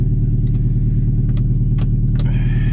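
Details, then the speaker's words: 1999 Toyota RAV4 AWD converted to a snowplow and used for two years: smooth even low idle with no misses, burns no oil, faint handling clicks in the background, a normal idle. "not a miss there's no miss in this engine again another steady engine no movement doesn't burn any oil"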